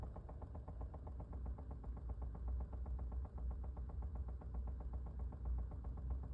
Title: 2020 Chevy Bolt Rapid Clicking Sound